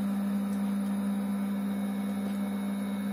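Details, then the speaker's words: Induction cooktop of a 37-litre Khmelnitsa home automatic brewery, first power-on (2.3 kW shown), switched on without water; cooling fan gives a steady, not very loud drone with even hum, no rattle; normal cooling fan noise. "Шумит. Слышите, как шумит пропеллер? Не сказать, что сильно громко, но ну, такой звук вполне реальный."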